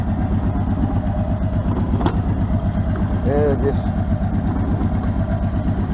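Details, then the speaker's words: Arctic Cat 650 four-wheeler after clearing a rat's nest and carburetor cleaning: fires right up and settles into a steady, even idle with no misses or knocks; running normally. "start it up see how it's gonna run fired right up"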